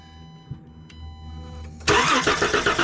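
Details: 2013 Chrysler Town & Country cranking during spark test: quick, even starter chug that never catches; crank no start, spark confirmed, no firing on starting fluid, compression check next.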